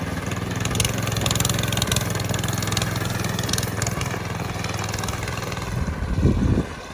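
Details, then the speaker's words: Rebuilt go-kart small single-cylinder engine on its first runs: it putters at idle, then stumbles, flares briefly and dies, cutting out as if starving. Cause not yet known; the standard Wiltec airbox may be tried. "She's off. Keeps cutting out for some reason. Can't quite work out what it is yet, so that's something we're gonna have to look at."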